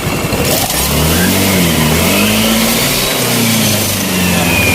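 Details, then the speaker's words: Yamaha Nouvo Elegance 135 scooter after major service, just started with electric choke raising idle: engine revs up smoothly and drops back cleanly, even tone, no misses or rattles; idle speed good, normal revving. "คุณเครื่องวันนี้ก็รอบเครื่องก็ดีแล้วครับ"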